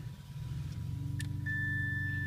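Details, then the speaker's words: 1990-1993 Honda Accord vehicle speed sensor wiring test, ignition key at start, meter on continuity grounded at battery, probe on black pin: steady high beep starts and holds; continuity, good ground. "right there and you hear it because I'm getting continuity so that means you got a good ground"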